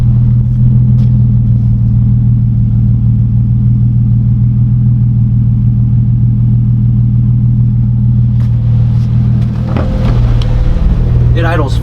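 Steady, even low idle with a crisp, smooth exhaust note and no knocks or stumbles; the engine is idling healthy.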